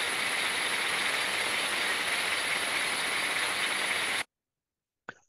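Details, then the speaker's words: Gearbox reducer heard by ultrasonic inspection after cleaning and refilling with the correct oil, replacing wrong lubricant that caused grinding: even, steady hiss with no knocks, rattles or grinding, sound quality much improved. "dar întregul sistem întreaga cutie de viteze a fost curățată s a aplicat uleiul cor corect iar calitatea sunetului a fost mult îmbunătățită"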